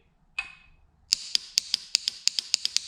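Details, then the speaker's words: Yamaha YFZ450 key on with the clutch clamped in: rapid sharp solenoid clicking, about six a second, with no cranking; power reaches the starter per test light, yet the starter motor does not turn. "you can hear the solenoid clicking um but nothing's happening up here on the starter"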